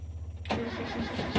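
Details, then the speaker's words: Car hard to start when the engine is hot: faint ticking (cetik-cetik) before the starter suddenly bites and cranks, engine then starts immediately; relay or solenoid engaging late, relay needs to be dismantled. "nyala nah jadi kasusnya cetik-cetik cetik-cetik tapi enggak bisa ngangkat kita matikan lagi kalau cetik-tetik nanti ini relaynya ya relainnya harus kita Bongkar"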